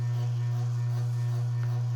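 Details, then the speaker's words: Circa-1985 Evergo 4E-6EALW 52-inch hugger ceiling fan, cast-iron motor, on high in updraft (reverse), probably under about 175 rpm; strong steady low hum with constant vibration, likely from rotted-away rubber bushings; bearings barely audible next to the vibration. "the bearings on the fan do make a little bit of noise but hasn't but you can barely hear them versus the vibration"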